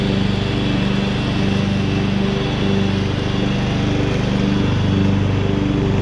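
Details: 2014 Ariens (Husqvarna) 42-inch-cut riding mower, revived from scrapyard parts machine: small single engine pulling steadily under cutting load, even beat, no knocks or surging; runs healthy, only needs a couple of small things.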